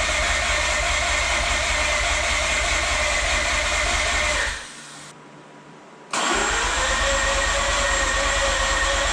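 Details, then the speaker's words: Mazda RX-8 with rebuilt, reinstalled rotary engine, start attempt after deflood procedure, fuel smelled, owner suspects flooded plugs: even cranking at about three beats a second, cutting out briefly then resuming, no firing; crank, no-start. "Well, we're gonna give it another go. Fingers crossed. Hopefully third time's a charm."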